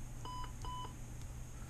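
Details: TST01 touch screen tester on a heavily used resistive touch screen: short steady beeps come in pairs only now and then as the worn edge is pressed hard; the resistive layer is worn.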